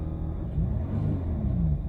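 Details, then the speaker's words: Jaguar XJ X350 Sovereign 2.7 diesel being revved: deep, even rumble swelling smoothly with no knocks or rattles; engine sounds healthy and better than before, with slight vibration from some loose plastic trim underneath. "you can probably hear the engine as well if I do this you can hear it sounds pretty sweet"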